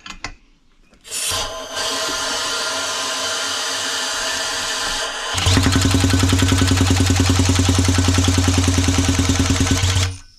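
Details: Four-stroke weed eater engine used as single-cylinder Jake brake demo, spun by drill to about 2,000 RPM, then turbocharger feeds about 40 psi boost: steady whir turns into loud, even pulsing bark about 3.5 per second; compression release engine brake bark.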